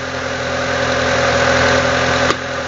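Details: 2000 Renault Laguna 1.6 petrol after throttle-body position relearn and throttle blips, engine running: steady, even idle with a constant hum and no knocks or misses, one brief click near the end. Normal idle.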